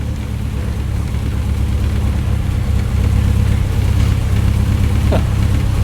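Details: 1967 Morgan Plus 4 that had not run in years, started after oil was shot into the cylinders: a low, slightly rocking idle that steadies and firms up around 800–900 rpm and sounds healthy. Normal idle.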